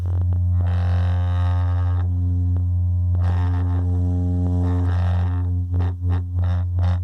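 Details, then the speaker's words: Radio Shack Realistic MC-800 speaker after repair: low test tone drones steadily while a buzzy rattle flares in bursts over it; loose baffle suspected, tweeter found loosened. Loose speaker baffle rattle. "maybe the baffles loose that sounds like a loose baffle"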